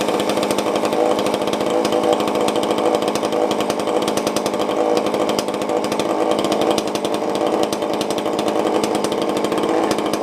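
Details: Tanaka ECS-650 chainsaw after fixing a vacuum leak that caused stalling, then tuned: steady, high buzzing two-stroke note holding even revs without stalling or surging.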